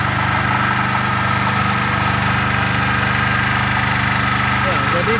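Steady, even engine drone with no knocks, misses or surging; the generator is running smoothly and healthy.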